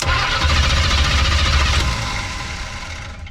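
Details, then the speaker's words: 1980s Chevy C10 small-block V8 after about 22 years parked in the woods, plugs reinstalled, cranking compression check: steady cranking at about four beats a second, every cylinder equally strong with no gallop; even, normal compression. "That's a good sounding engine. Every cylinder sounds almost exactly the same."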